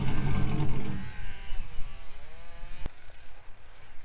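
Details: 2000 GMC Sierra 5.3 V8 with a Texas Speed Stage 3 truck cam and its custom tune reinstalled: catches quickly and settles into a steady, slightly lumpy cam idle, takes gear without stumbling or dying. Normal start and idle.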